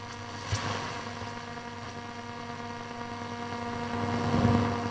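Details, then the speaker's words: Telefunken Operette 8 tube radio during restoration after RF coil rebuild for MW/LW, external antenna switch open so antenna signal comes through: steady mains hum with soft hiss, no station received; normal background noise with practically nothing to receive. "but because we've got practically nothing to receive it's not surprising"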